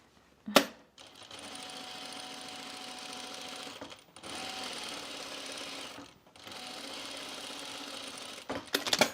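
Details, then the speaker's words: Sewing machine running top-stitching seams: three bursts of fast stitching carry a thin, steady high squeak, as if the bobbin winder were running though it isn't; tilting the machine back showed the oil was low. "do you guys hear that squeak I bet Terry does I it sounds like my bobin Winder is going and it's not and it's sort of starting to make me worried"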